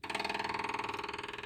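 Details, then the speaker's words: Newly refurbished Onan 7.5/8K RV generator on a stand, fed from a 5-gallon can and powered by a jump box: the electric fuel pump primes before start with quick, even ticking (about 17 per second) and a light buzz, deadening after a while. Normal. "notice the pump deadened after a while."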